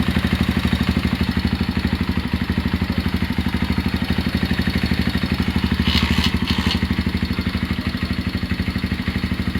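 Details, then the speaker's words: Honda GL Max Neotech motorcycle engine idling before teardown for restoration: dry clattery mechanical noise over low exhaust pulse, noise located at the top end/cylinder head and around the clutch. "Untuk kendalanya si mesin itu berisik dan berisiknya suaranya ada di bagian atas atau bagian blok head dan sekitaran bagian kopling ya."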